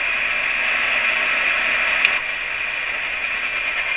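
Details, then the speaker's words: About 50-year-old Tram Titan IV CB radio, receiver tested with a signal generator down to about -117 to -127 dBm: a steady faint high whistle tone sits just above even static hiss and is still received cleanly. Normal weak-signal reception. "I'm not sure nothing on the uh it's weird but I can still hear the Thousand Birds tone in there I got one more setting on this"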